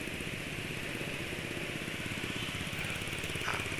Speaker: suara mesin alus ini menurut penulis karena ada di tv-nya jadi penulis cariin beberapa informasi aditifnya eh oli 2T termasuk amat sangat banyak